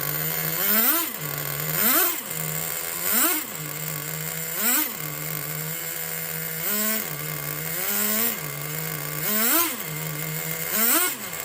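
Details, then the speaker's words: Rebuilt 2006 Traxxas Nitro 4-Tec with TRX 3.3 engine, warm, body on: small engine buzzes cleanly with quick crisp throttle blips about every second and a half; normal running. "Motor's already warm on this sucker. This is running a Nitro 4-Tec with the body on her."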